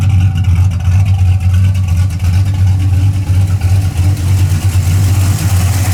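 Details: 1981 Camaro, warm, after a roller cam, aluminum heads and intake swap and retune, with 35–40 psi oil pressure: a deep, even idle with a mild cam lope, about three pulses a second, no ticks or knocks. It runs clean and healthy.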